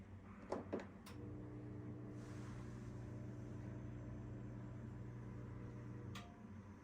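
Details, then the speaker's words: Samsung front-load washer (WF42H5700A family) started on normal cycle: the drain pump hums steadily for about five seconds, moves no water, then shuts off with a clock shown on the display. The drain pump is failing to drain. "it sounds like the pump is trying to work but it's not and then it turns off and all we see is a little clock here"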